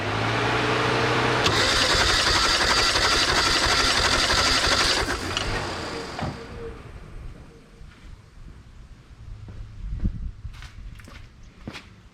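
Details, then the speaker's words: 1988 Mazda 323 with 5-speed, after head gasket install, cranking during a compression check with a steady, even rhythm of about three beats a second. This cylinder rose from about 40-60 to about 120; normal healthy cranking. "So, you know that head gasket, that's the difference of the head gasket for sure. You can refer back to the old video, but this one's running about 120 now. I like that sound."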